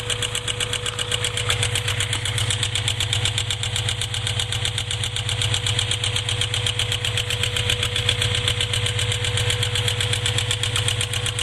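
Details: Honda B20Z engine at idle with a fast, even ticking around four per second over a steady idle; top-end tick, cause not yet found.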